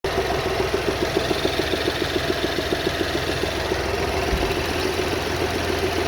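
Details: BMW X1 F48 xDrive 25e with the 125 HP B38 three-cylinder engine at cold idle: loud, dull non-metallic knocking about 3.5 per second from the back of the engine, quieter once warm; cause unknown.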